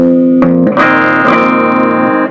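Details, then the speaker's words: Fender Blues Junior tube amp after repair of its distorted output, bias current about 35–36 mA: bass notes ring out clear and full with no fuzz or crackle; the amp is working and clean. "so now we've got this amp is now working let's just play some bass notes and see"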